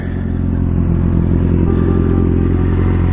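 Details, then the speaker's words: Yamaha R6 after DIY engine rebuild with transmission bearings replaced, idling after a test ride: steady even idle, smooth low exhaust beat, no ticking or knocking, no leaks; healthy engine. "but everything looks good no leaks everything is running flawless man looks good"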